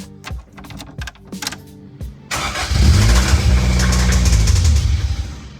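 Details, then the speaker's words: 1988 Toyota MR2 AW11 project car, first start after fitting a battery: starter cranks in short bursts, engine catches and runs about five seconds, then dies; starts fine but won't stay running, cause unclear. "Interesting, right? It started totally fine and then just died. That was not a problem starting at all."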